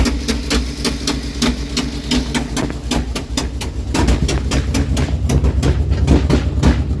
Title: HELP!!! What is this sound coming from my engine